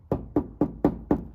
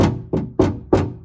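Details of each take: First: Door of a 2020 Mercedes-Benz Sprinter 2500 4x4 (Winnebago Revel) knocked by hand after adding strips of sound deadening: several firm, dull, short knocks with no buzz or rattle; the panel is damped. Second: 2020 Mercedes-Benz Sprinter 2500 4x4 (Winnebago Revel) door panel knocked by hand before sound deadening and insulation were installed: five sharp hollow knocks, each ringing with a short tinny buzz, the bare panel rattling.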